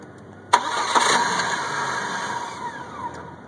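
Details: 1998 Chevy Cavalier that cranks but won't start; it only starts in hot, sunny weather. One short crank: the starter spins the engine a few seconds, it never catches and the sound fades.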